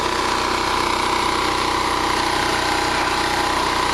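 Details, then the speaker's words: Small generator after carburetor replacement running steady at about 124 volts and 61.5 Hz; owner says no more surging, carb screw makes no change, governor screw sets RPM; even drone with no hunting in pitch; normal steady running. "I think he fixed the problem, folks. No more surging. No more surging."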